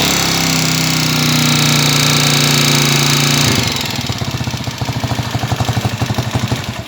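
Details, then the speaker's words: Honda TMX155 single-cylinder motorcycle running very loud even when cold, hard rapid knock and metallic rattle; owner brought it for an engine overhaul. "okay guys ah napakaingay na po nito kahit kanina napahinga na po niyan ha malamig na napakaingay"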